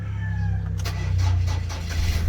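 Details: Ford Ranger pickup with a discharged battery, second attempt after boosting the 70mai jump starter: low rumble as the engine catches and settles into a steady idle within a couple of seconds; jump start works.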